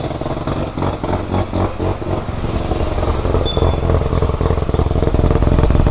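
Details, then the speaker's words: Mazda FC RX-7 with a rebuilt rotary engine, first start in 6 years. A fast, even burbling pulse over a steady low rumble; idling nicely and healthy, though the O2 reading is rich. "idling nicely O2 is kind of rich but that'll get figured out"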